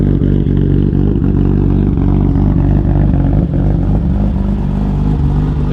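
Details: BMW E34 M5 with aftermarket exhaust: a deep, even, rich-toned exhaust rumble at a steady fast idle, with no misses or knocks.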